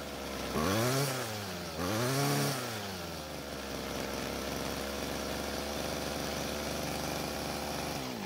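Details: Old Homelite string trimmer that had quit mid-use and wouldn't restart, now running after priming the bulb: snaps up to a high scream twice, drops back cleanly to a steady even idle; L screw left unadjusted; normal running.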